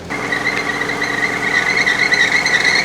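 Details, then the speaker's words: 1990 Opel Kadett E, engine just started after fuel pump work: a steady high squeal over the idle that holds its pitch. Slipping fan belt at idle, suspected because the battery is a bit low. "oh yeah there's a noisy fan Bel probably because the battery is a bit low"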